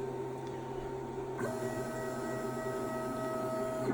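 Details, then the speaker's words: Brand-new CNC 6040 router running Mach3. A steady electronic hum, then a constant high whine as the Z-axis head lifts to the top, stopping when it halts. The noise has been present since day one, alongside a Z-axis zero-position loss problem. "right to the top that noise you can hear I've been here since day one"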